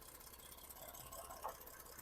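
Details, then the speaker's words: 2012 Ford F-150 3.5L EcoBoost, 296k miles, idling with a stumbling, lumpy misfire and vibration after a known-bad coil-on-plug is fitted to cylinder four; now missing on two cylinders. "But it is now it's missing on two cylinders. You probably can feel the vibration and hear it."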